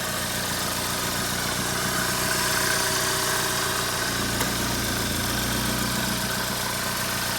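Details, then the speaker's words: GM 2.4 Ecotec after repair for low fuel pressure (codes P0228C, P0171), fuel pump reinstalled, codes cleared, running about half an hour: steady even idle, smooth hum, no knocks or misses, no check engine light. "no check engine lights everything's running fine uh i guess that solved the problem"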